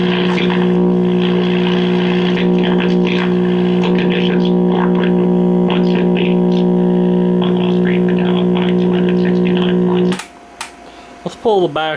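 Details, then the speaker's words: 1958 Philco F-750 clock radio, five-tube set: constant low buzz around 120 Hz that never changes, filter capacitor hum from the failing electrolytic filter capacitor; repaired by replacing the filter cap, two bumblebee capacitors and an out-of-tolerance 68 ohm resistor. "definitely have some electrolytic doping you know summarize there mmm we are picking up a certain"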